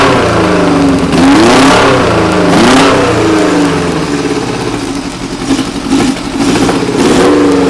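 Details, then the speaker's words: Old stunt motorcycle, first start of the year, choke on: engine rises and falls cleanly through several throttle blips, returns to steady idle; sounds healthy. "want to turn choke off there anyway that's what she sounds like that's the whole bike"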